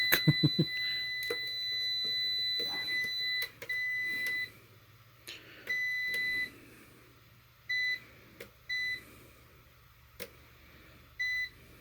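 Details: APC BN450M 450VA (255 W) UPS after shutting off on unplugging with about 250 W load: short high-pitched beeps in uneven bursts over a quiet room; keeps alarming, owner doesn't know why.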